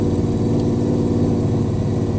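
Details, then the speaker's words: 1995 Camaro Z28 LT1 with head/cam combo, likely stock-bottom-end Turbo 350 trans and ~3,000 stall converter, nitrous, driving under load: V8 steady, even drone with no misses, knocks or rattles; smooth power delivery, normal healthy engine. "as far as the engine you know like Smooth power delivery so it's got a decent converter in it nothing crazy like a 3,000 maybe or something"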